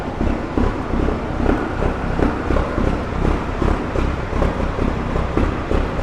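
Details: Peterbilt diesel truck after a turbo failure, with intercooler cleaning or replacement still pending; oil pressure is good. A heavy, steady low rumble with even pulses about 160 a minute, no knocks or rattles, over light wind; sounds good.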